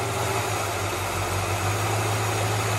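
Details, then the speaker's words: 1967 Impala V8 idling while brake cleaner is sprayed around the carburetor: steady low burble swells slightly when spray hits the leak; vacuum leak found at the upper gasket above the carburetor riser, bottom gasket fine. "so with the vehicle running you're going to take your brake clean and you're just going to spray where you think the vacuum leak is and you're going to listen"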